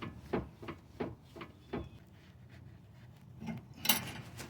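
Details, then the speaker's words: Toyota RAV4 with electric power steering, driver's side. A helper rocks the wheel hub by hand, giving dull knocks about three per second. The tie rod is visibly moving too much: a worn tie rod joint, with rack and pinion and tie rod replacement following. "my friend is moving the Hub here assembly and hope that camera can hear the crack really bad"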